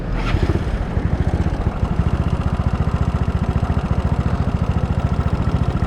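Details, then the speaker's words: Yamaha Mio 150cc bore-up scooter with new R2 FX Racing camshaft, Sonic valves, 0.05 valve clearance; idling with light clattery top-end chatter; owner suspects unreplaced cam chain or camshaft character, unclear. "nah seperti itu ya guys suaranya menurut gue sih masih agak berisik ini Entah karena rantai ketangnya enggak diganti atau memang karakter noken as-nya tuh seperti ini guys"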